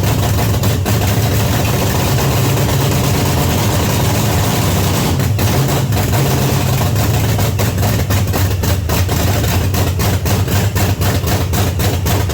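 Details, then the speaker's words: 1979 Pontiac Trans Am, overhauled 400 V8 first start, loud lumpy open-header idle with deep uneven loping; very rich, black smoke from carburetor, floats suspected too high, not confirmed. "God damn. Boy, it's really rich. Wow. Son of a whore. Now it's smoking out of the fucking carburetor. It's really, really rich."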